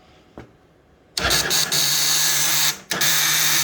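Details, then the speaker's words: 2015+ Yamaha Raptor 700 ATV: a brief loud buzzing burst when the starter is tried, cutting out and back in, with intermittent no-start; traced to a bad battery or a poor main-power connection at the starter relay. "common you'll get that noise sometimes it'll start sometimes it won't a ton of bikes do this 15 and above"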